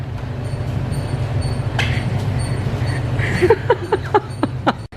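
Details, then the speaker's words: Turbo Ford Falcon on a hoist with months of rear knocks: quick sharp knocks about four a second over a low rumble as the rear is rocked. Suspected upper arm aftermarket bush, spring seat, coilovers or camber arms; not confirmed. "the noise I can't isolate it but to me it sounds like it's that upper arm uh in a bush after market one"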